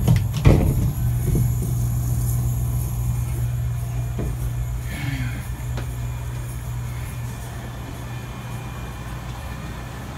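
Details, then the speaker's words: Rebuilt True T-49F two-door freezer, two minutes after startup at about 70°F room temperature, door open, fans off, no load, coil already frosting: low, steady hum with no rattles or clicks; normal compressor run. "we got frost on three parts of the coil already nice the bands are off of course you know the door open fans offices chilling down under no-load just sounds nice"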